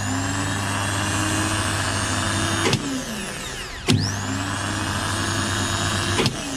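Starter spins up to a steady high whine, is cut and spins down, then runs up again smoothly; even and healthy.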